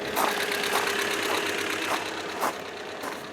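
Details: 1997 Ford Escort, nearly 209K miles, just after a head replacement, first start: light, uneven ticking and clatter over a quiet idle; valve train noise that quieted up after the first drive as the engine warmed.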